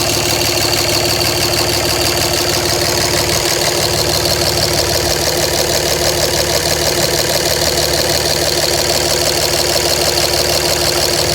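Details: 2007 Dodge Ram 5.9 Cummins, rough idle for about a month: uneven clattery beat, about three lumpy pulses a second; intermittent fuel rail pressure sensor, MAP sensor and overboost codes, owner wonders about excess blow-by; cause unknown.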